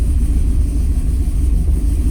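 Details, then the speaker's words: Turbo Ford Ranger cold start at about 50-degree coolant, no throttle, after the fuel table was adjusted; it starts quickly and settles into a deep, even idle with no stumble or miss. Cold start issue fixed; it usually cranks about 5 minutes. "I'll fucking take that all day. That's perfect. I usually have to crank it for like 5 minutes. Not bad."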